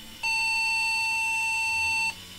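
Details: Flea-market PC tower, no picture, tested with some RAM removed: one long clear high beep about two seconds at power-on; owner suspects a RAM problem, not confirmed.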